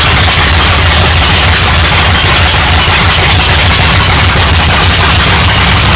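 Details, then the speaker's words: 1982 Chevrolet Camaro V8, parked since 1992, first cold-weather start since October: loud, lumpy, unsteady idle like it's about to stall; rough cold idle, cause not pinned down. "she's a little cold-blooded it's it may even stall out i don't know how it runs in the winter um because it's the first time we've actually fired her up in the cold sounds like she's actually about ready to die out"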